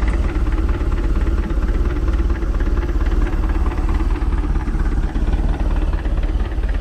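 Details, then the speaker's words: Mercruiser Alpha 1 Gen 1 3.0 L 140 hp sterndrive after new cap, rotor, points, condenser, plugs and wires: fires right up, steady even low thrum with regular firing beat, no misses; good idle, nothing leaking. "got a good idle to it too. Nothing leaking."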